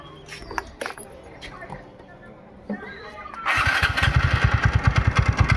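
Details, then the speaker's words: TVS Ntorq BS6 scooter idling: after starting, steady knocking rattle about three beats a second over the idle; loose starter (self) bearing nut causing the noise. "ये sound बारी self bearing नके नट loose हो कारण आवाज होते"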